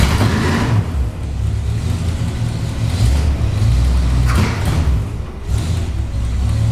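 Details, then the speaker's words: Barn-find Mopar Belvedere V8, parked about a year, started easily after only a new fuel filter, no starting fluid: deep, heavy rumble with rough V8 lope and a couple of blips, firing steadily; the old V8 runs healthy. "you know i'm very surprised actually it started up that easy yeah she sounds good"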